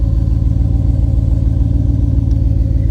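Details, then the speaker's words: 1999 Ford Taurus SHO V8, just brought back to running after a no-start, with an aftermarket exhaust (possibly Flowmaster or Magnaflow). Deep, throaty, steady rumble with even pulsing and no misses or ticks; normal idle. "Oh, that sounds pretty good. That sounds pretty good. Listen to this throaty exhaust. What is that, Flowmaster's under there?"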